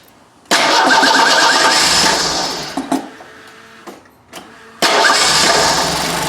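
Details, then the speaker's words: Merkur XR4Ti after sitting five years: fires, runs weak and sags toward stalling, then restarts rough. Timing light on #1 lead with the spout connector pulled reads 12° after TDC against a 13° BTDC spec. Badly retarded ignition timing; the plan is to rotate the distributor to correct it. "We are at 12 degrees after top dead center. That's why it runs terribly."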